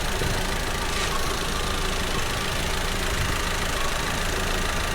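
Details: 2019 Audi TT 2.0 TFSI, about 50,000 miles, engine light and hesitation: uneven idle with a loping, stumbling beat under the drone, like a dead cylinder; cylinder 1 ignition misfire at idle, proven by scope.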